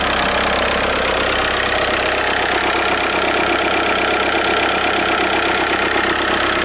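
Steady diesel idle with a constant high whine and light rattle riding over the clatter, pointing to a failing alternator.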